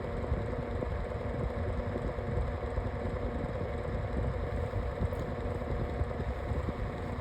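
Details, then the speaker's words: Lasko Windstorm 18-inch pedestal fan on medium speed: steady, coarse low buzz with a rattly edge. Abnormal vibration buzz occurs on low and medium and stops on speed three; the blade is still out of balance and shaking, cause unclear. "Over the days of having the fan though, I thought the um noise would be cured, but it turns out nope. Still doesn't. And there's low. This is medium. still does it on medium, like I said."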